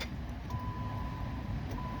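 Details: 2014 Chrysler 200 3.6 no-crank: a steady chime, then one sharp click and nothing more, lights stay bright; a bad starter is suspected, cause not confirmed.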